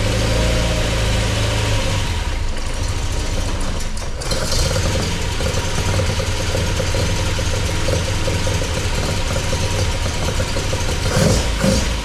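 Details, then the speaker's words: MGB with rebuilt Weber 45DCOE carburettors, just after start-up and not yet at temperature: crisp revs rising and falling cleanly off a lumpy idle, responsive and without stumbling; normal revving, though the idle still needs adjusting. "So that sounds awesome. Idle needs to be adjusted, obviously, and needs to take it up for a run to get it up to temperature. But that sounded sweet."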